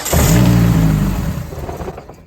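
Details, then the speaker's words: eBay turbo Hyundai Sonata, first start after nearly 3 years sitting, fuel pump fuse pulled: engine catches and revs briefly, then sags and dies within two seconds running on residual fuel in the line. "pretty much fired right up which is funny because the fuel pump fuse is still chilling there I guess that's residual stuff in the line because obviously it didn't didn't stay alive"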